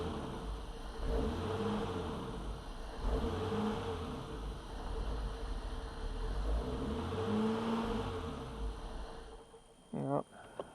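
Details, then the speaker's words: 1989 BMW 525i on a new Megasquirt ECU, vacuum line connected and intake air temperature sensor left dangling: the idle surges about every two seconds, never settles, then the engine dies. It is a hunting idle and needs more work. "so I'm hoping it's going to idle fairly good A little bit of a hunting still"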